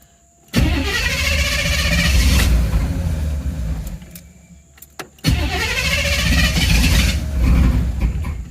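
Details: 1986 Camaro IROC with the new mass airflow sensor refitted: two long cranking attempts of about four seconds each, starter spins the engine but it never fires; crank no-start, no change from the swap.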